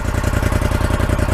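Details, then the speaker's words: 2014 Polaris Scrambler 850 quad, fuel-injected, 2,000 miles, key start: even, steady low thumping at idle with no knocks or misses. Owner says it runs perfect, with nothing wrong besides bald tyres. "obviously runs perfect it's was really nothing wrong with it besides the tires"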